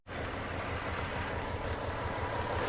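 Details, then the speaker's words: 2001 Toyota 4Runner with codes P0301 and P0304 (cylinders 1 and 4 misfiring), no check-engine light, and a lean condition: a steady but uneven, lumpy rough idle with the engine shaking. "it's showing the p0301 a p0304 that's misfires on your number one and four cylinder"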